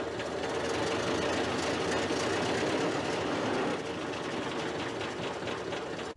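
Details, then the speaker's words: Ford Model A petrol engine after replacing generator front bearing and brushes: steady idle with even mechanical patter and no squeal; generator works, putting out a steady 15 amps: normal running. "guess what everyone it works it works pretty good actually is it gonna stay working i don't know"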